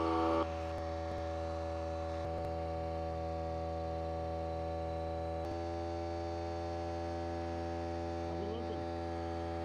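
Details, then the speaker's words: Harbor Freight Central Pneumatic 95275 pancake compressor after the discharge tube repair, now filling past 100 psi (gauge reads 103–110 and about 20 psi high). Steady, even motor hum with no knocking or rattles; it runs normally. "okay well it works now this gauge went past 100 pounds it says 103-110"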